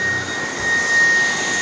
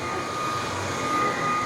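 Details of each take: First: Dreame cordless stick vacuum with small 40W power head switched to high suction on thick rubber-backed mat: steady high-pitched suction roar and thin whine, brush roll barely spinning; too much suction clamps the head down, bogging the brush roll. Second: Dreame cordless stick vacuum with 40W power head on thick rubber-backed mat, switched back from high to medium suction: even steady motor hum and constant whine, no bogging; brush roll spins freely again, much better.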